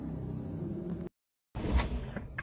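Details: Used car with injection engine: a single short crank and it catches at once, settling into a low, even idle with no misses or knocks; normal start, as an injected engine should fire without long or heavy cranking.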